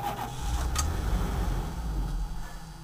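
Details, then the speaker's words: Wood gas truck with blower running and valve shut: the engine catches, runs roughly for a moment, then fades and dies within seconds, the same every time; it starts but won't stay running. Owner suspects an air leak. "It's almost always exactly the same. Starts up and then it dies."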